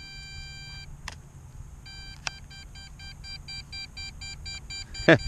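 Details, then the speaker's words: MJX Bugs 3 drone transmitter after landing and unplugging the battery: a high electronic tone turns into rapid beeping, warning that it lost power or contact with the aircraft. "letting you know, hey, we lost power. Something's wrong."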